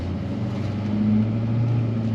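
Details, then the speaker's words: 2009 Chevrolet Silverado 3500 with new 4-inch exhaust and no muffler, hard pull-away: deep, loud drone swelling steadily under acceleration, about the loudest it gets. "obviously i wouldn't be accelerating like that all the time so that's pretty much the loudest it's gonna be"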